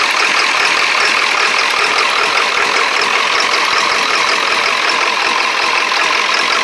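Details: Early 1999 Ford Super Duty 7.3 diesel with 1994.5 HPOP (check valves) installed, cold weather, old summer diesel, possible air in line: loping, ragged idle dropping firing pulses, feels like not all injectors firing, white smoke; misfire, cause unconfirmed.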